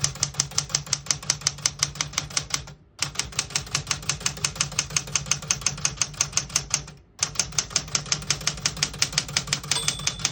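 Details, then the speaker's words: 1971 Smith-Corona Super Sterling vintage portable typewriter: crisp, even key strikes about three per second in short runs, then a bright margin bell ring at end of line; typewriter working properly. "Once you hear the bell, you're at the end of the margin."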